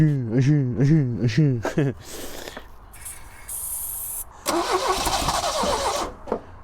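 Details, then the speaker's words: 1977 Triumph Dolomite that hadn't run in years, carbs bone dry, spark confirmed: slow even starter churning about two beats a second, then a brief catch on easy start sprayed into both carbs; no sustained run, fuel issue; bowls later found full of gross old fuel. "there we go it barked off there with the easy start so I think our issue is a fuel issue"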